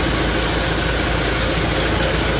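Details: Isuzu Panther 2500cc diesel after timing gear refit and resetting, no exhaust smoke: steady even idle clatter with no misses, knocks or hunting; idling cleanly and healthy.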